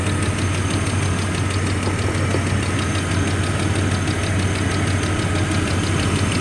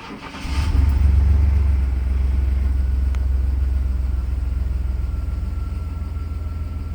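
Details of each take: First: 1995 GMC Jimmy 4.3L V6 idling properly after a tune-up with new spark plugs, distributor cap, rotor and plug wires; it previously misfired and idled about 500 rpm on cold start. A faint quick ticking at idle suggests a small exhaust leak, suspected but not confirmed. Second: 1995 GMC Jimmy/Sonoma 4.3L V6 after a tune-up: it cranks briefly, catches with a quick flare and settles into a smooth, proper idle. Before, it misfired on cold start and idled around 500 rpm. A small exhaust leak is still suspected.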